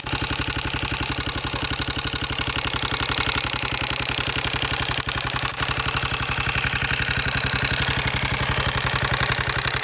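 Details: Honda XR650R single at idle: sharp rapid clatter about four beats a second, steady throughout; source of the mechanical noise unclear.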